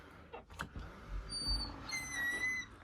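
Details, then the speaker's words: Door closer swinging: a few soft pops from the spring with high squeaky tones on top, plus rubbing; cover slightly loose; the closer's spring is popping. "But the thing is, um, this closer now is making a spring sound. Not just a rubbing sound. It's making like a popping spring sound."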